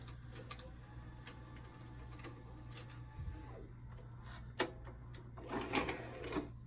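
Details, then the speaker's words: 1992 Shintom VCR450 VHS VCR, second-gen Shintom mechanism, fully recapped: light whirring and soft clicks as the tape unthreads, then a busier clatter and thunk as the cassette ejects; all normal. "I always do love the blue screens on VCRs. And when you eject the tape, it'll do that."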